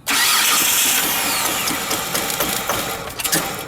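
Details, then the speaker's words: 2005 Kia Amanti with codes P0303 cylinder 3 misfire and P0222 throttle pedal position sensor B low; engine cranks, fires, then stumbles into an uneven idle with irregular puffs from the dead cylinder; spark plug behind intake manifold. "okay so we got a misfire on cylinder 3 we got a throttle pedal positioning sensor so pretty much we have oh cylinder 3 misfire and thrott positioning sensor"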